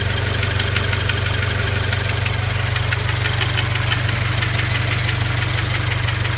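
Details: Scion FR-S/Subaru BRZ/Toyota GT86 at about 70,000 km, warm idle after 20 minutes driving: fast even light rattle about three a second; engine vacuum pump faulty, replaced by Toyota, fixed.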